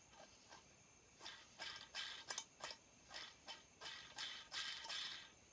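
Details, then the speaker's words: Husqvarna 1100CD crankshaft spun by hand before the case is split for a new bearing and crank: short dry, gritty rasps about three a second, loose with some slop; worn crankshaft main bearing causes the growl. "I said here it says this adds loose got a little bit of slopping it that's how it's growly"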